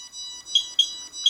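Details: Radiation meters (QSAFE QSF-104, RADEX, Smart Geiger) brought close to a radioactive source: three sharp high chirps about a third of a second apart. The sensitive QSAFE alarms first while RADEX still reads 0.1.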